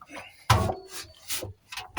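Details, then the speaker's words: Patrick Class AA 6 kg washing machine: rough scraping rubs as the drum turns, worn bearings (not the spider/star) letting the drum touch the tub; also worn bushings; needs bearings, spider and seal replaced. "tenemos los rulemanes no es la estrella pero esto para mí los problemas Bueno video cortito Pero bueno más que nada quiero enseñarles cómo hacía y cámbienlo porque porque después empieza que el Tacho toca la Cuba"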